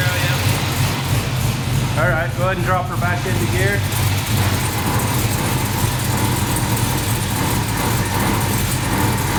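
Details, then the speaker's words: Kaden's K5 Blazer V8 after its first drive under its own power following months of restoration. It fires right up, with a deep, smooth, steady idle and no misfire or knock. "so I love it fires right up top of the key idle's nice can't ask for anything better"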